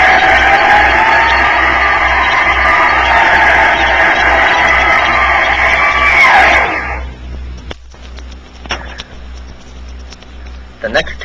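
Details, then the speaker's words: Turbonique gas turbine engine (mid-1960s promo record) on a dynamometer: loud, steady high-pitched whine holding several seconds, then abrupt coast-down as dynamometer brake pressure is applied; normal gas turbine whine. "the turbine whine can be heard as it has changed over the operating speed range"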